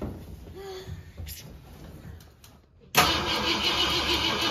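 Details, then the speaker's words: 1964 Ford Galaxie 500, 390 FE big block, carbureted, after 30 years in a junkyard: weak uneven starter grinding, no firing; battery nearly dead despite charging, carburetor suspected of not fueling. "you sound like it ain't getting any fire and it sounds like the battery is about dead even though that one's just on the charger"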